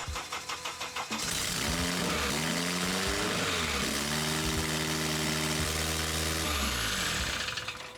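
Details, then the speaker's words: K24-swapped Toyota MR2 Spyder, first start after swap with temporary exhaust: starter cranks about a second, engine fires, flares, then holds a noticeably high idle that won't settle; owner first suspected the throttle position sensor, but TPS read 0%. "The idle seemed really high, which left me with a couple questions. Why is it a loud, stinky piece of shit?"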